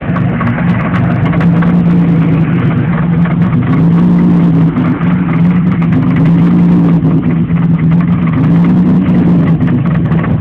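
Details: 3.4 DOHC engine in a Pontiac Fiero: loud, steady engine drone with a strong low hum and rough chattering noise over the top.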